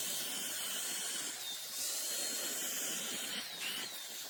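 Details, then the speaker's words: Shark StainForce carpet/upholstery spot cleaner vacuuming a wet car seat: strong suction hiss with a thin, wavering high-pitched whine on top; the machine squeals even when wet, and the owner suspects a badly glued internal magnet or a bearing. "Par contre, elle grince. Malgré qu'elle est mouillée, elle continue à faire des... Ça m'inquiète un peu. On dirait qu'il y a un aimant qui est mal collé à l'intérieur, ou un roulement."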